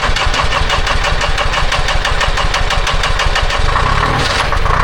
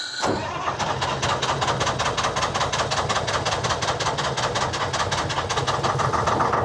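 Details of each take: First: Telehandler with Detroit Diesel 353 two-stroke after fuel filter change, sat a couple weeks, 60°F morning: catches quickly into strong even beat about three pulses a second, no ether needed; normal cold start. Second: Telehandler with Detroit 3-53 two-stroke diesel held running on hand throttle: labouring, ragged uneven beat; won't idle, struggling mostly from the secondary fuel filter.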